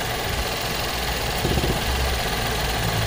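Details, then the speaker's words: 2016 GMC Acadia 3.6L with codes P0442 (EVAP small leak) and P0496 (EVAP flow during non-purge); a steady idle with a constant airy hiss as the purge valve is commanded and the line draws vacuum. Normal purge valve flow. "see now it's purging so if I take this off you can hear it and you can see it"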